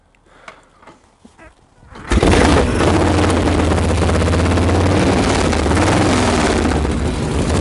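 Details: Freshly reassembled Harley Knucklehead, stone cold, not started for two days, after kick start with choke open, throttle slightly open: loud, lumpy, uneven V-twin idle about four beats a second, some oil smoke; rough cold-start idle, not yet dialed in.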